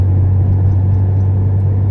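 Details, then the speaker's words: 1970 Porsche 911T flat-six, pulling hard onto a main road after a fuel pump fix: deep, even rumble with no knocks, misses or hesitation. Normal engine under load. "Oh yeah, this thing rips pretty good."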